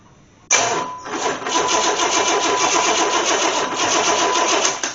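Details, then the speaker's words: Engine that sat nearly 20 years, from an 84 Corvette, test-run with vacuum leaks: starter cranks steadily about four compression pulses per second but it never fires; spark tester shows no spark, distributor was not connected properly. "it's not okay well that explains a lot all right so is it because of my coil is it because of my power I'm not getting power let's check on all that"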